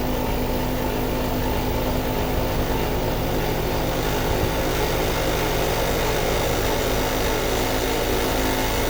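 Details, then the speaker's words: American Standard inverter compressor: steady running hum with loose buzzy rattle from inside compressor just before compressor and system shut off into soft lock with fault code; physical compressor fault suspected. "listening for a noise that we heard it make just before it turned off in a soft lock. Sounded like something rattling in the compressor."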